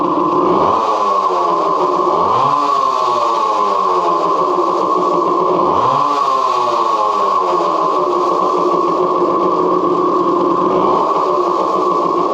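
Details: 1970 Suzuki TC-90 two-stroke restarted with oven-cleaned baffle reinstalled, late at night: buzzy note rises sharply with four throttle blips, drops back to steady idle; runs clean and even.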